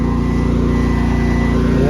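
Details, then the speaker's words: Honda EU11000 generator running on natural gas under load test, output about 58 Hz rather than 60 Hz, mixture not yet adjusted: steady even drone with smooth low pulse, no misses or knocks; generator running good. "Generator sounds like it's running good."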